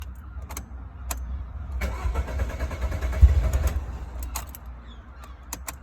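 Starter churns at a slow, uneven chug before the engine catches and settles unsteadily; a warm engine that is slow to restart.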